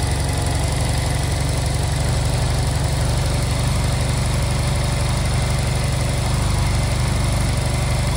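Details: Honda Silver Wing twin scooter that would not start, after new spark plugs and during air/idle synchronization: steady, even low putter, no misses or knocks, settling smoothly; normal idle.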